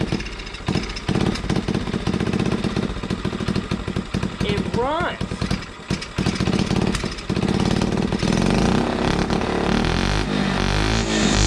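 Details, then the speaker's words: 1980 Honda CT70 minibike, fouled original spark plug replaced with new one, ignition hot-wired off magneto: small single catches after a few kicks and settles into a quick, even putter; runs fine on new plug. "so that told me that the original spark plug is fouled so I put a new spark plug in there put the cap on now we'll see if it fires"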